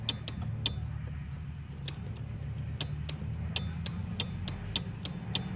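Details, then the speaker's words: VW Gol G2 AP fuel-injected, key on, fuel pump relay wiggled: over a low hum, sharp relay clicks and pump cutting in and out irregularly; intermittent relay, car won't start. "eu acredito que deu para vocês escutar o rei Armando e a bomba de combustível também Armando certo mais uma vez eu pego o defeito certo"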